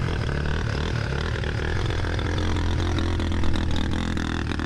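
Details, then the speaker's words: Dirt bike in a riverbed after heavy rain: a rough, uneven note with stumbling beats at low revs, badly misfiring. A wet air filter was suspected, but running with or without the filter made no difference. Cause unknown. "so you can still hear it misfiring really badly"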